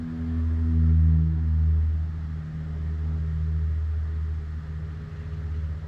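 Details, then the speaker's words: Cirrus aircraft autopilot trim servo during incoming equipment ground test, camera beside servo, reading 5.7 V (should be under 3 V, about 1.5 V when good); low wavering hum with rough grinding as it strains; stiff trim servo needing replacement. "You can just hear it starting to grind away in there. And that's that's too high. So that servo is going to need to be replaced."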